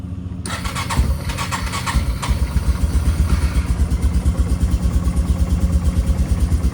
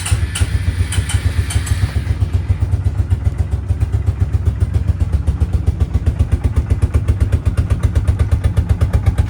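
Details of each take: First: Yamaha Bear Tracker quad, cold start without choke: the engine catches at once and settles into an even, steady idle with a regular low thump; starts cleanly and sounds healthy. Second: 2004 Suzuki King Quad ATV at about 20°F with full choke: a few cranking clicks, then a low, uneven single-cylinder thump barely staying running; hard cold start.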